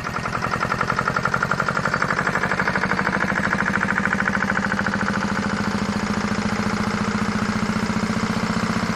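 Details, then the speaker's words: Farymann A40 diesel on the test bench at its first start-up after an overhaul: steady, even idle clatter with a clean, regular beat and no misses or knocks; idles nicely with no smoke. "the thing of beauty just like all good Fairman should be idles nicely no smoke it's a wonder"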